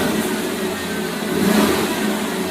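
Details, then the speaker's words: 1982-92 Firebird/Camaro after fuel pump replacement and fuel tank reinstallation: steady even idle with no hunting; before, it idled up and down erratically due to the failing fuel pump, probably damaged by bad fuel. "Sounds really good. It's nice, idling nice and steady. Before it was idling up and down, kind of crazy."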